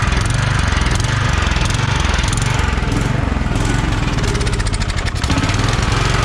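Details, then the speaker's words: Kohler Courage 20 hp engine on a free Craftsman DYT4000 mower, fuel pump hooked up, battery 12.79 V, starter weak; fast even thumping beat at steady speed, no knocks, rattles or exhaust blowing, muffler sound; charging good; normal running. "so yeah we got a good charging on the system if i need to replace the fuel pump i will not a big deal carb seems to be working decent"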